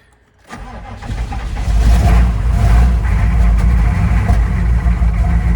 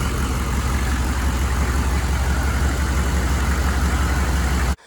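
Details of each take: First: 1995 GMC 3500 HD 6.5L turbo diesel just started after injection pump replacement: low, uneven idle with a lumpy beat about four per second, running rough while the remaining air purges from the fuel system. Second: 1995 GMC 3500 HD 6.5L turbo diesel idling after injection pump replacement and timing: deep, steady low rumble, no lope or stumble; the earlier weird idle is gone, sounding like a typical 6.5. Normal idle, good hot oil pressure.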